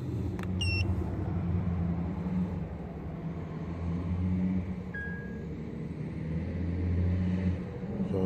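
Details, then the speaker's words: 2008 Acura TL 3.2 V6, almost 200,000 miles, codes P0300/P0302/P0303/P0305: rough, lumpy idle with uneven low thump as cylinders two, three and five misfire. "five misfiring three misfiring multiple misfiring it's two three and five are misfiring two three and five misfiring"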